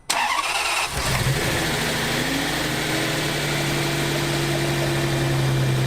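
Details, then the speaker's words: Salvage crash-damaged Ferrari 599 V12, early run after undercarriage damage, going through adaptation: brief crank then catches and settles into a smooth, even idle hum; no knock. "so while it didn't sound perfect uh there's definitely no knock or anything"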